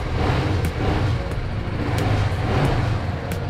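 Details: BMW G310GS single-cylinder motorcycle just fitted with a new Exide 12V 9Ah battery after a dead battery: starts without trouble and settles to a steady, low single-cylinder thrum with an even beat, no misses or knocks; normal idle.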